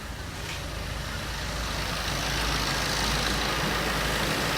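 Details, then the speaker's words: Car idling after a cleaning treatment with a German-technology machine and chemical, run about halfway, to cut smoke and noise; smoke much reduced and the sound much changed from before. Steady, even hum with no knocking; smooth, healthy idle. "ਗੱਡੀ ਦੀ ਆਵਾਜ਼ ਸੁਣੋ, ਪਹਿਲਾਂ ਦੀ ਗੱਡੀ ਦੀ ਆਵਾਜ਼ ਤਾਂ ਹੁਣ ਦੀ ਗੱਡੀ ਦੀ ਆਵਾਜ਼। ਆਵਾਜ਼ 'ਚ ਤਾਂ ਵਾਕਿਆ 100 'ਚ 100 ਹੀ ਲੈ ਗਏ ਕਹਿ ਲਓ।"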